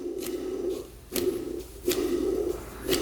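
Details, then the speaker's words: 2001 Polaris Xplorer 250 4x4 two-stroke ATV with a seized top end, crankshaft turned by hand on the bench: gritty, grating rasp with sharp clicks from rough main bearings; rod bearing fine. "Then listen to that. That bearing's really rough, too."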